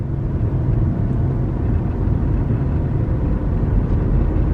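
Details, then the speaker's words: Ford Focus, test drive after no-start repair, about 30 mph through three or four gears, around 2000-2500 rpm: steady low engine drone with road rumble, no knocks, ticks or whines; running perfectly fine. "oh yeah it seems like this thing is running perfectly fine i'm doing 30 i went through three or four gears we're breaking no weird sounds no weird noises"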